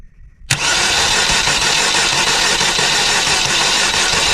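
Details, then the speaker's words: Saturn car converted to a truck, first start after wiring work: faint fuel pump priming whine, then engine catches at once and settles into steady, even idle; normal start. "So, believe it or not, burn so fast I'm out of breath. Look, she's freaking running. That's freaking awesome."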